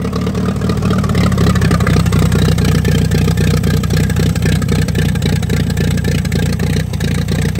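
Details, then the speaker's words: 1945 Allis-Chalmers WD 4-cylinder gas tractor, sat for years, after clearing a rust-filled fuel line and freeing a stuck throttle: deep, steady chuffing at about four beats a second with a clean low exhaust note, running fine. "yeah it runs"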